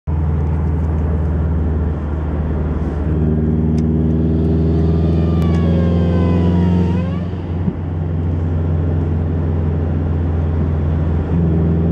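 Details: 2011 Subaru WRX on its second day after a Stage 2 tune: under boost a whistle rises with revs over the engine drone, faint in high boost, fading as the throttle lifts. The owner suspects a boost leak.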